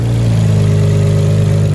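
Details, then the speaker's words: Nissan Skyline R32 GTR after fitting R35 coil packs to cure a misfire: a steady, even idle with a deep, slightly lumpy cam beat and no dropped firing pulses. It runs cleanly. "so she's running everything works there's no nothing smoking nothing's crisscrossed it's all good she's running she's working and uh hopefully my misfire issues are done i don't hear this firing at all which is good"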